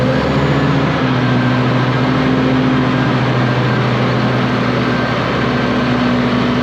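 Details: Low-hour (822 h) ex-US Army Cat D6R bulldozer diesel, bought inoperative, running after repair: steady, even drone with a smooth low hum, no knocks, misses or puffing; zero blow-by, engine healthy, though a couple of hydraulic leaks were found.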